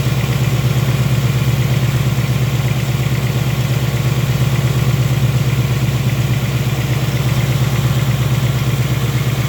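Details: Brand-new 2018 Ford Mustang GT (Gen 3 Coyote V8) on a dealer lot: steady V8 idle with a faint, light regular tick on top, source not pinned down by ear; owner believes the tick is normal for this engine.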